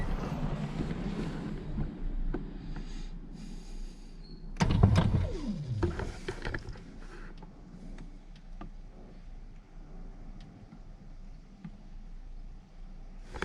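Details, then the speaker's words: Scion FR-S power window that won't go up, probably from earlier shop repairs: short strained motor whir with sagging, bogging pitch and thuds as the glass fights, then quiet; owner suspects a damaged regulator track rather than the motor. "Oh, that doesn't sound good, actually. Yeah, I think the track is screwed."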